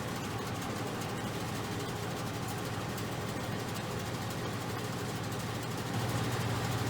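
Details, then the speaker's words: Modine garage furnace BA130SBM belt-driven blower after belt adjustment and aligning motor with blower pulley: even low rumble and steady hum, no squeal; the squeak came from the belt and misalignment. "far so good nice and quiet a lot quieter than it was so it was the belt and aligning the the motor more with the pulley on the blower got rid of the squeak"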